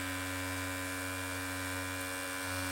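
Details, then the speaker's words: Mac Mini (late 2005 G4 or mid 2007 Core 2 Duo) reading a game disc: a steady low droning buzz at constant pitch as the spinning optical drive vibrates the whole system. The disc is suspected to be faulty or off-balance. "oh that sounds pretty the whole system is moving like vibrating itself across the"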